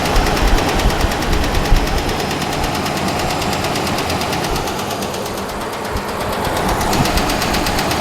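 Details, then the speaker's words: Dodge Ram 5.7 Hemi V8 at idle, mic close to engine: fast sharp ticking over rough idle, louder than usual Hemi tick per owner; cause undiagnosed, garage to diagnose. "that's all I'm willing to show because the motors not dead yet as you can see but it's more than ticket baby way more"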